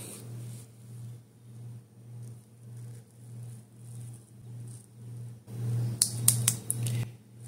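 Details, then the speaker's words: Toyota single-pin transmission shift solenoid, removed, bench-tested with a 12 V battery: three crisp clicks over a low hum; clicks once then won't repeat until disconnected for a minute or two since unpressurized; solenoid working normally. "do you guys heard that click see it won't do it again nothing it want to do it again"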